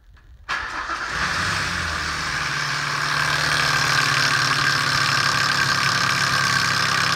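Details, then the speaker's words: 2006 Ford Ranger 4.0L SOHC, about 230,000 km: catches and idles with a light, quick tick over a steady hum, seemingly from the head/valvetrain; source unknown. "my little range here developed a bit of a ticking noise and without getting too invasive the first thing I want to try as it feels like it's in the head it sounds like it's in the valvetrain anyway"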